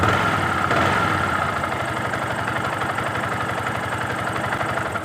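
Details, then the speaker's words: Yamaha R15 V2 single-cylinder at idle after replacing the damaged automatic timing chain tensioner; an even, steady putter with no top-end rattle, and the earlier timing chain play noise is completely gone. "നമുക്ക് ഇതിലൂടെ മനസ്സിലാക്കാം നമ്മുടെ timing ചെയിൻ്റെ പ്ലേയുടെ sound പൂർണ്ണമായിട്ടും മാറിയിട്ടുണ്ട്."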